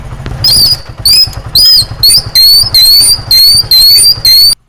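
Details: Motorcycle drum brake being applied: nine sharp, high-pitched squeals about twice a second from contaminated shoes, which are not worn out and can be fixed at home for free.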